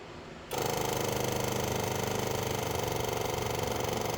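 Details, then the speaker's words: 1970 Honda 600 (N600) sedan engine with a borrowed carburetor, coil and loosely fitted fuel pump, fed by an emergency line from a gas can with no filter. The starter chugs steadily but the engine never fires: cranks, no start. "All right, let's pump it up. Let's see it'll fire. That's a no."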